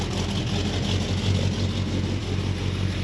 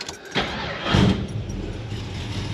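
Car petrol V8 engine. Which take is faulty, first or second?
second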